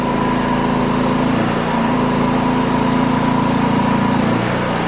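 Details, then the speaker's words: Champion 4500 W dual-fuel inverter generator, eco mode off, carrying about 1200 W load: steady, even drone at about the same rpm with a slightly heavier note under load, revving up a little at full power; healthy generator. "about the same RPM but you can tell there's a little bit of a load on it you can hear it you can hear it rev up a little bit more when you go to full power"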